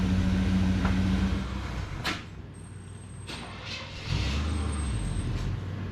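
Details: Engine runs with a low steady drone, then cuts out and dies before restarting; owner says timing is off and will check the vacuum advance.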